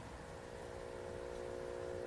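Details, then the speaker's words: Motorola 51M1U AM vacuum tube radio, just powered up and ramping up on a variac before capacitor replacement: quiet, steady buzz at a fixed pitch from the speaker; mains hum, cause not yet pinned down. "I hear buzzing already coming out of it."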